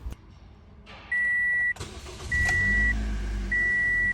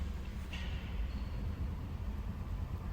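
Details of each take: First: 2008 Toyota Corolla after fuel injector removal and cleaning for misfire and no-start, battery disconnected: cranks briefly, catches cleanly, settles to steady even idle with a repeating chirp; starting and rpm now normal. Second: 2008 Toyota Corolla, 284,000 km, hard starting, no power on acceleration: low, uneven idle rumble with heavy vibration that pulses and stumbles, misfire from clogged fuel injectors; fixed by removing and cleaning injectors.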